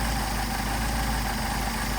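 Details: Mercedes 190SL Solex carbs rebuilt elsewhere, run on a test mule engine: low idle drone with an uneven, wavering beat. Idle mixture screws give little adjustment, and screwing one fully in fails to kill the engine, so the idle stays rough.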